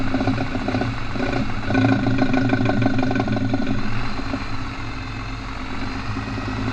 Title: Ratchet noise when turning in 4x4